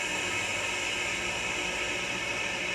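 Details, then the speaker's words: M939 truck with a stuck parking brake valve, after a few drops of air tool oil in its lines: a steady sharp rush of air as the parking brake is set. Normal spring brake venting; release then re-adds air. "these are spring brakes after all so they vent the air out and springs put them on"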